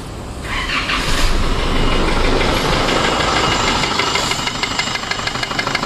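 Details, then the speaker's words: Isuzu D-Max iTEQ 4JJ1 diesel, knocking right after start-up: hard knocking about three per second over diesel clatter, not fuel starvation. "Oke, dengar dia punya bunyi memang knocking lah. Jadi kalau masalah begini kan bukan masalah minyak tidak cukup, maksudnya minyak diesel lah."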